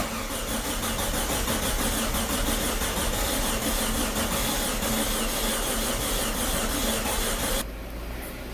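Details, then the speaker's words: Audi A4 B6 1.8T Quattro after engine-out refresh, first start attempt: starter cranks steadily about three turns a second and never catches because injectors and cam sensor were left unplugged. Crank, no start. "goes again it's not starting still for whatever reason you'll have to forgive me i forgot about the injectors and became a cam belt sensor or cam sensor"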